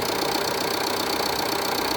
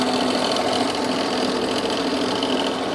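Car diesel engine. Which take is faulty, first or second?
second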